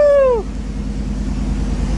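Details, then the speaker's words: 1990 GMC with a 350 small-block swapped in, close to 250,000 miles, Thrush muffler and Cummins exhaust tip, first fire after the swap: a falling whine dies out, then a steady, even deep V8 idle. Normal idle. "to that exhaust oh yeah that sounds good I like that"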